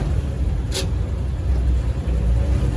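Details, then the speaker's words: 1969 Toyota Land Cruiser FJ40 with non-power four-wheel drums, driving while shifting toward second: over steady low engine and road drone, one short sharp grind as the lever nearly goes into reverse; gear doesn't engage. "It's not going to go in, but like you heard the little grind, but yeah."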